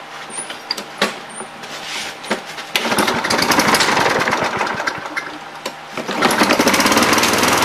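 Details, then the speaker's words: Junk single-cylinder mower after the handle-actuated stop mechanism was taken apart and reassembled. After a few pulls it catches, runs with a fast, steady putter, then drops out when the handle is released: it runs and shuts off normally. "well it seems to run and it seems to die when I hit the handle so I'm gonna call that good"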